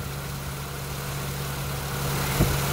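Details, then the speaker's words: An Acura TL/MDX after its power steering seals were replaced and Honda fluid refilled: smooth engine idle with a faint steady hum. The previous pump whine is gone. "that's all it needed. Noise is gone."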